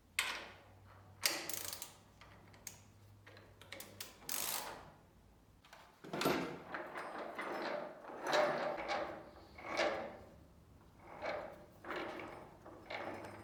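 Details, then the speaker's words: Lathe's first start after a long period of inactivity: irregular clunks and knocks, roughly forty a minute, over a faint motor hum; the source of the knocking is not yet identified. "El momento del primer arranque llega después de un largo tiempo de inactividad de la máquina e inmediatamente se oyeron algunos ruidos de golpes, no identifiqué su naturaleza"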